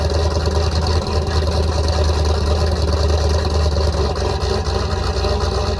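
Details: 334 small-block Chevy V8 after break-in and oil change: deep, steady burble with an even lope and no ticking, knocking or stumbles; sounds healthy, still needs some tuning adjustment.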